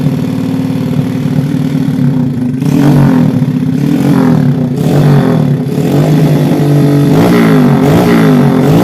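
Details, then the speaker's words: Old Yamaha Jupiter Z engine in a Honda 70 frame, which had been smoking and running rough before breaking down. An uneven, rough rev with a clattery mechanical edge over the exhaust note. Worn piston rings. "The condition was already smoking or whistling and then the sound was also rough."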